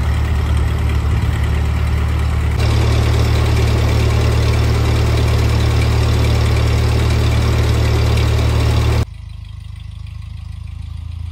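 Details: 1948 Ford 8N tractor on a test drive after rebuild: steady low four-cylinder thrum, even beat near idle then smooth pickup, no knocks or misses; engine healthy.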